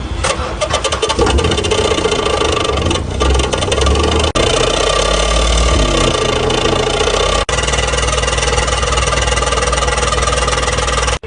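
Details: Renault Kwid small petrol car starts and idles with a harsh, abnormally loud exhaust roar from a faulty silencer.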